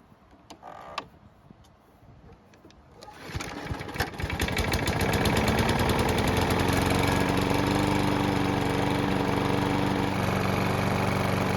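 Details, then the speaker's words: Mower that wouldn't start after winter, after service, oil check and cable lube; small single-cylinder engine catches on the first pull, rises to a steady even run with a clean regular beat; running normally. "[Music] So, it started on the first pole and it's been running for about 10 minutes."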